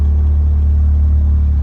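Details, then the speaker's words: Honda B20 after fixing an idle stuck around 1800 rpm: IACV replaced, new TPS voltage, throttle cable readjusted, idle screw all the way in. Idle now a little over 1000 rpm: low, steady hum, no hunting or surging; settled, smooth. "I think I finally fixed my idle. It's a little over 1,000, but I've been driving with that shit stuck at like 1,800 for the longest, and I finally fixed it."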